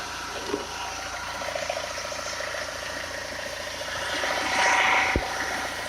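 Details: 2.0 HDi diesel engine at idle: light, even ticking about four times a second over quiet diesel idle; source unclear.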